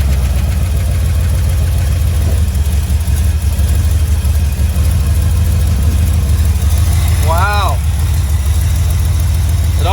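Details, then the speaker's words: 1977 Dodge D200 with new intake and carburetor, not yet tuned, just started quickly: steady fast high idle with even low rumble and a couple of chirps; normal high idle. "already works better than the other car and it's not even tuned that was so fast never had to start this quick before he's on the high idle here"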